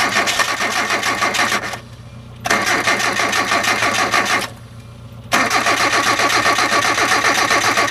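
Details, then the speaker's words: Hyundai with its temperature switch disconnected so it reads the engine as cold. Three bursts of even starter cranking at about four beats a second that never catch. Owner says it needs gas sprayed in while cranking. Cranks but no start. "if I bypass that switch right there it thinks the engine is hot and it doesn't get a shot of fuel"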